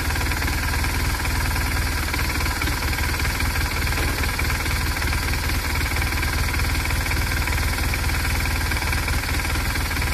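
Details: BMW R1200R boxer motorcycle at idle: rapid, uneven clatter over the low exhaust pulse, a bad engine knocking noise of unclear origin.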